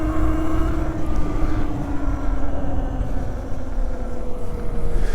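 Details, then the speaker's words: 72V Razor SX500 electric bike on a trail ride: motor whine slides lower in pitch as it loses power and speed, controller entering limp mode from low battery voltage near the 65 V low-voltage cutoff. "oh dear we're losing power I think our voltage is getting low and it's going into like limp"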